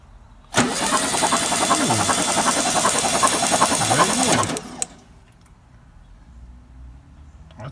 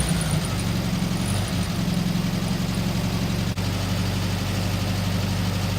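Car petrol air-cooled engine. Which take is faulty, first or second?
first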